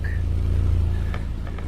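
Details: 2010 Subaru Impreza with newly welded-in Magnaflow 11366 stainless performance muffler replacing restrictive stock one: deep, even low idle rumble with a quick throttle blip, no rasp or drone; normal idle.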